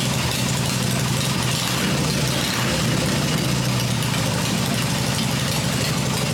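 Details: Freshly rebuilt black Harley Evo V-twin motor idling on an engine test stand with open exhaust: low, loping even beat with no knock or rattle; running the way it should.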